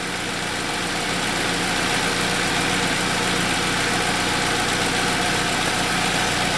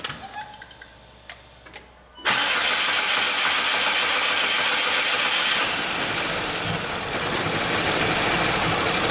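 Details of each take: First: 2007 Saab 9-3 2.0T with intermittent injectors-staying-on fault, codes P1682 and P0201-P0204: after the fault cleared, steady even idle with smooth hum and no stumble or missing beats; engine running cleanly. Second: 2007 Saab 9-3 2.0T with intermittent rough running and gas smell, codes P1682 and P0201-P0204: quiet clicking, won't start at first, then bursts into loud hissy running; hard start with injectors 1 and 4 stuck on, ECM drivers suspected.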